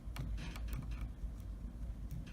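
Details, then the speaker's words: MK2 machine: sharp, uneven clicks over a low motor hum as the toothed belt teeth ride up the side of the idler pulley and snap back, getting worse the closer it gets. "the click is the teeth clicking when it pops past the side of the pulley and I just gets worse the closer you get"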